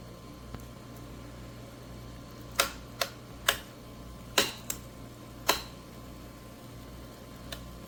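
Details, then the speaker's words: GE Profile Opal 2.0 countertop nugget ice maker running: sharp, irregular chirps and clicks over a low fan hum, a few per second at most; the owner says this chirping is normal and constant. "This is a normal sound I hear, chirping all the time."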